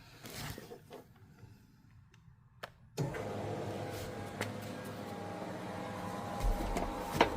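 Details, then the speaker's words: Mitsubishi Eclipse 2G GSX after installing a new Walbro 255 fuel pump and rewiring it with relay and 10-gauge wire: short click then steady low hum with faint even whine; pump primes normally, no leaks. "I don't see any fuel LS the fuel pump does sound pretty [Music] normal and our fuel pump rewire was success"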